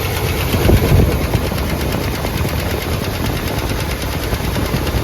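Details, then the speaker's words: Boat-tail Buick Riviera, long-stored, about 5,000 miles shown, valve cover off, first start: fast light ticking from top end about four per second over rough idle; dry lifter clatter quieting as oil reached them. "say she all looks fine in there oil squirting where it needs to squirt it's good they quieted down so maybe just pop the oil through it"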